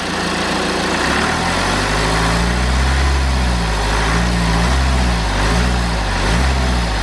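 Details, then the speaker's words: BMW N47 diesel after replacing leaking charge air pipe (previous temporary repair): steady even idle clatter, boost-leak hissing completely gone. "Okay then, so that hissing has completely gone away now, which was to be expected."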